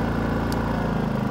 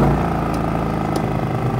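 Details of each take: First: RV generator restarted with the 30 amp trailer plugged into an ActiveStart soft starter: steady, even low hum with unchanging beat and no misses or knocks, settling into a healthy idle. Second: RV generator in eco mode, fridge and lights running, without the ActiveStart soft starter: hum jumps sharply in speed and loudness for about a second as the air conditioner compressor kicks on, then settles; startup surge.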